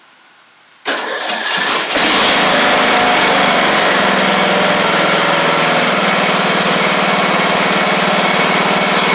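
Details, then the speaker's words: Craftsman riding mower with new carburetor, fuel lines, tank refitted and battery installed: brief cranking, then it catches within a second and settles into a steady, even idle with no misses; a clean, healthy start, oil later found at the add mark. "here that's good before I move it anymore I want to double check the oil cuz it looked like it was in pretty good shape"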